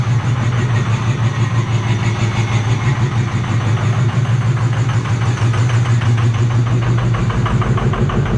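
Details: 2005 Ford 6.0 Powerstroke diesel just started on a new 6.4 starter: loud, raw, low throbbing idle, pulses about three a second, far too open because the exhaust came disconnected at the downpipe; shut off quickly.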